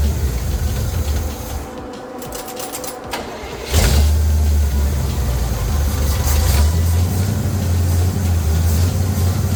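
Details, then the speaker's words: Small-block Chevy V8 with new 1.6 ratio roller rockers, valve covers off: starter cranks, fires into lumpy idle with uneven rising and falling beat; rough stumbling idle blamed on huge vacuum leak at open PCV valve hole. "I was trying to figure out why she was uh stumbling so bad when I was trying to run her with the valve covers off and I realized that her uh I had a huge vacuum leak"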